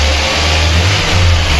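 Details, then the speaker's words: VAZ 21099 on petrol (also runs on LPG), fully warmed up with the cooling system bled, after cylinder head repair for a cylinder 4 misfire: steady, even low idle with no stumble or knock. Normal warm idle. "Ну ось і все друзі двигун повністю прогрітий до робочої температури система охолодження прокачена все чудово Ось так працює на бензи ні на газу також уже працював"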